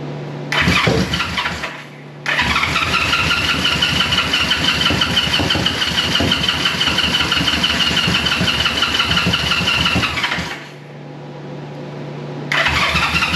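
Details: 1973 Honda CB350G twin, cold first start after fitting Mikuni VM28 carbs, auxiliary fuel tank: two bursts of fast starter cranking with irregular pops from both sides; catching fuel and close to starting.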